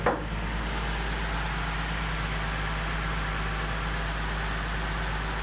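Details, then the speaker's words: Nissan 370Z Nismo, 29,320 miles, cold start after sitting a while, heard with the hood open: steady, even idle with a smooth low hum and no squeaks, ticks or knocks; running good, normal cold idle. "As you can hear, no squeaks or nothing. Running good."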